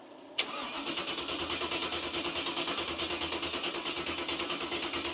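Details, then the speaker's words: Cub Cadet garden tractor with 305 Chevy small-block V8, after new fuel pump: starter cranks in even pulses about nine a second but never fires; no fuel reaching the engine, carburetor may need rebuild. "I'll see if you can figure out what's wrong with this thing. It ain't got no gas in it. Well, no fuel."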